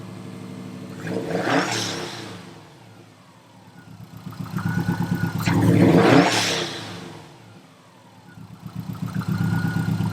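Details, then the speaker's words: Subaru STI after fixing exhaust leak at external wastegate: engine pulls strongly in repeated surges, each lift-off followed by a brief whistling blow-off valve vent; boost builds and releases normally. "And we're making boost again. You can hear the blow off taking off. Heck yeah."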